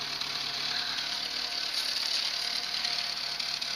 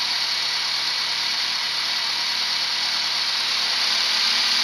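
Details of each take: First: Renault R11 TXE idling after the timing belt was replaced, now holding idle better: a steady hiss with a faint puffing edge at the outlet. The cause is an exhaust leak. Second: Renault 11 TXE after correctly replacing the timing belt, with an exhaust leak present: steady, even idle with no misses, knocks or surging; holds idle better than before.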